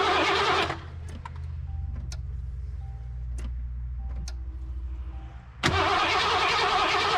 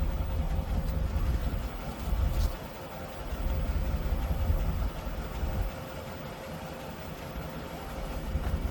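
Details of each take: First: 1988 Mercury Cougar (Foxbody) cranks steadily, about four beats a second, but never catches on fresh 91 fuel with Chemtool. Fuel pressure is 40 psi, spark is present, EEC-IV shows no codes, and it starts on starting fluid, so injectors are suspected. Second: 1988 Mercury Cougar Fox body V8, first run on its own fuel system after fuel tank cleaning and ignition fix: deep, steady rumble holding an even idle with small rise and settle; starts and runs on its own.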